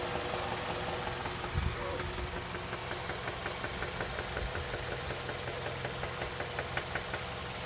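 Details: KIA Magentis 2.0 G4KA engine: sharp metallic knock about twice a second over a steady idle; internal engine knock, cause undetermined, car should not be driven and needs immediate repair.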